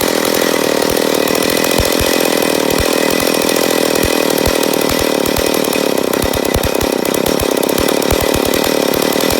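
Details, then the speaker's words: McCulloch Pro Mac 850 chainsaw, first start after rebuild, break-in run: screams at high steady revs with irregular popping underneath, running lean and uneven; owner suspects an air leak on the flywheel side, not confirmed. "but there's a first fire so I know we got a little bit of air leak I'm a guess on the flywheel side"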